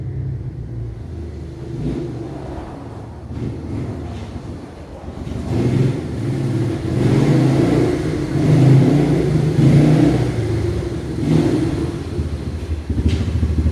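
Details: 1989 Yamaha Moto4 200cc single-cylinder ATV after new timing chain; high idle cured by refitting old carburetor and old throttle cable. Pulls cleanly through repeated throttle blips, pitch rising and falling evenly, no misses or knocks; normal running and revving.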